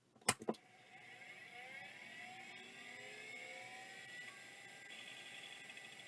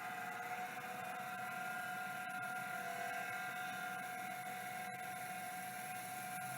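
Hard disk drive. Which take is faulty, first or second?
second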